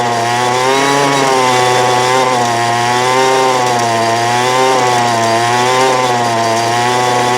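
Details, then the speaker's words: 2008 Poulan Pro PP25E 25cc trimmer after cleaning carb screen: steady high two-stroke buzz with slight waver, running on its own while smoking off garbage; still needs carb adjustment. "here we go it's a runner this need an adjustment which I figured it would because of the settlement you seen but uh you see it's burning all the garbage off see all the smoke"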